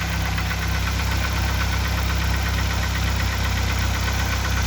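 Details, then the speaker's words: 2004 Mazda Tribute (Ford Maverick), 2.3 L3-VE petrol, about 189,000–193,000 km, idling cold: light uneven knock, about three taps a second, over a low hum; chain, sprockets and tensioners replaced, oil pressure fine; owner unsure whether crankshaft or camshaft. "и так народ короче mazda трибьют два месяца катаюсь со стуком не знаю что за дела за виду некоторые говорят коленвал некоторые распредвалов"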